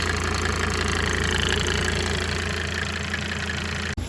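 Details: Mercedes-Benz W201 190D diesel after fitting new stainless steel fuel lines, run to check for leaks: even idle clatter, about four light knocks a second, steady with no misses or extra noise, then shut off; healthy normal idle.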